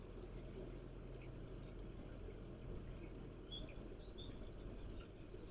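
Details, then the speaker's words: Repaired air-to-water heat pump (bought non-running with a blown capacitor), outdoor fan running after restart before the compressor kicks in, air from fan quite cold: quiet steady low hum, birds in background; normal fan running. "So the fans running. Don't think the compressor is fired up yet. For the air coming from that fan is actually quite cold."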